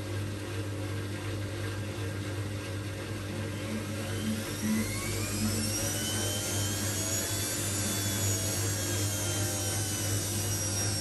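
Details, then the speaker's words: Old washing machine heavily rebuilt with a custom stainless drum spider and new bearings, on its first test wash: steady low hum and faint rising motor whine that sounds like bearings but is thought to be the normal motor sound. "so I don't know if you can really hear it but that like weird noise it's making you'd think it was bearings she would it's just the m I don't know it's a weird one so it is um I think the m is okay on it though hopefully"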